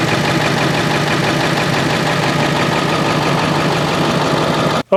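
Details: Ford 7.3 Powerstroke diesel after its oil cooler was resealed, with oil and coolant changed and air still being bled from the cooling system. Loud, even diesel clatter at a steady idle with no misses or odd knocks; running healthy.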